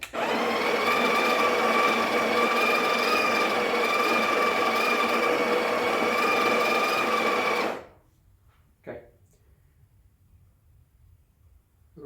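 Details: Breville Barista Express BES870 built-in grinder dosing about 9 grams with the grind amount dial near one o'clock: a steady, even motor whir for about eight seconds with no catching or rattle. Normal grinder operation.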